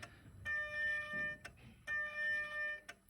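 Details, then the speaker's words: BMW 5 Series diesel with charge air pressure codes 4530, 3F57, 3F97: repeating one-second buzzing electric whines as the electronic VGT actuator strains to move seized variable turbo vanes; turbo removal or freeing the vanes planned. "that is the electronic actuator trying to move the variable veins on the turbo"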